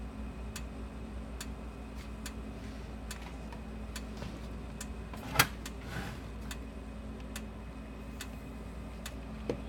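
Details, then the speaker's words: Sens O Matic electric fence energizer, solid-state style, after repair with plug not yet replaced: sharp, even clicks about once a second as it pulses, light flashing each pulse, tester reads about 7,000–8,000 volts; normal energizer pulsing. "well you hear it flashing and and hear a car here hear it click and see it flashing let's get a tester on here"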